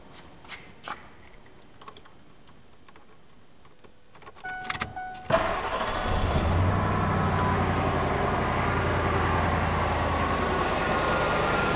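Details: 1997 Ford F250, 5.4 two-valve V8 with running rough complaint, check engine light and number 7 cylinder misfire code: quiet clicks, then cranks and catches into an uneven, loping idle; rough idle with single-cylinder misfire.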